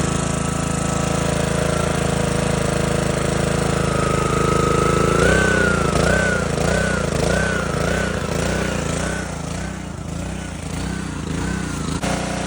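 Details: Simpson pressure washer small single-cylinder engine (115 psi compression) after a carburetor cleaning, on choke: catches and keeps running with a slightly hunting, pulsing beat; firing again after the carb clean.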